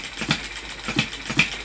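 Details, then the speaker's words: Stirlingkit B01 ball-top vertical hit-and-miss engine driving a generator with three LED lamps plus a filament lamp: regular sharp pops about three a second with clattery rattle; engine slowing under the heavy load, voltage dropping to about 5 volts. "Right now the real test. Yeah, it's slowing down definitely."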